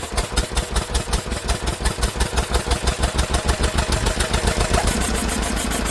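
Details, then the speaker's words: Old Lister engine, genuine first run in many years, throttle propped open, choke held: crisp even chuffing about five beats a second, quickening and settling into a steady fast run until it runs out of fuel; sounds nice, governor linkage needs sorting. "wow there you go guys and that was not staged that is its genuine First Run for God knows how many years and didn't it sound quite nice"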